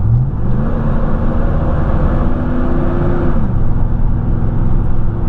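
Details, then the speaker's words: 2004 Chevy Silverado 5.3L under hard acceleration around 45 mph: loud rising whoosh of fan roar swamping the exhaust, sounding like a dump truck, from a worn fan clutch later fixed by replacing it. "I heard a lot of fan in that not enough muffler I have so we're going to get back to my house we're gonna make some roofer activities in a driveway and we were going to change out that fan clutch"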